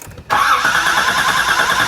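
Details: Flooded salvage 1986 Nissan 300ZX: steady cranking whir that never picks up into firing. A spark tester shows no spark, so it is a crank, no-start with no spark; the root cause is not yet confirmed.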